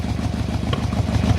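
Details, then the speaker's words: 1997 Yamaha RoyalStar Tour Classic XVZ1300, cold morning, first start: even, steady idle just under 1,000 rpm with no knocks or misses; the idle could use a tune-up. "Idling over just under 1,000 RPM. That could probably get tuned up a little bit."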